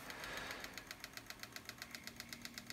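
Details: Mac Pro bought cheap as supposedly dead, fan still noisy after cleaning: fast, even ticking about eight clicks a second over faint fan hiss, a fan blade catching on something.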